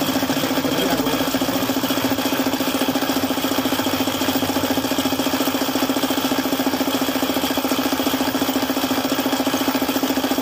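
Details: Suzuki F6A engine at idle: sharp, very regular knock about three times per second, bottom-end knock from oil starvation after the oil pump stopped working.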